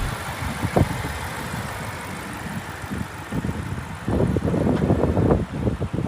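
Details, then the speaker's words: BMW 650 at salvage auction, 72,000 miles, idling in yard: fairly even low rumble under yard noise and handling thumps; nothing abnormal, sounds good. "so yeah sounds good"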